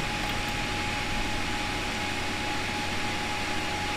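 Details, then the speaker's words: Desktop PC motherboard failing to POST: steady loud fan rush with thin whine that never slows; suspected failed northbridge BGA solder, pressing heat sink lets it POST, reflow considered. "So as you see now it's not wanting to post"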